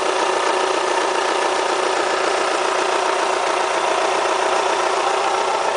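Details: Kia Spectra petrol engine at 90,000 km, idling: a hard, rattly clatter like a diesel. The owner asks whether it is critical; the cause is not identified.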